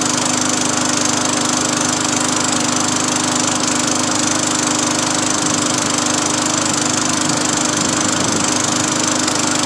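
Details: Free Craftsman 20-inch 4hp push mower after cable replacement and new carburetor install, 5 primes before starting: steady, even small-engine drone with fast regular pulse, no misses or surging; running smoothly after repair.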